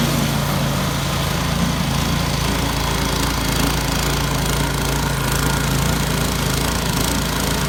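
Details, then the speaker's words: Yard Machines 22-inch snow blower after carburetor cleaning (gas left in it at least two years; took three pulls to start), choke off at full throttle on test run: small engine's steady, high buzz with no surging or stumbling; normal running. "we're gonna go ahead and give a little test drive and see what happens so choke off right now"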